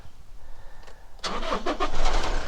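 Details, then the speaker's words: Engine started with battery isolator on, power probe on battery: quiet, then quick crank and immediate catch to even idle; healthy starter, charging 13.6 V; no-start blamed on an old battery. "Yun, paandar na. Ngayon, titingnan natin yung voltahe."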